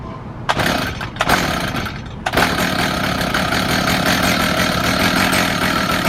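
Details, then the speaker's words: Stihl FS55 trimmer after teardown and rebuild, clogged spark arrestor screen the main fault, started on choke and primer before carburetor adjustment: a couple of quick pulls with short pops, then a steady busy two-stroke buzz; normal start and run. "Once you see it start up, you'll probably see the head spin."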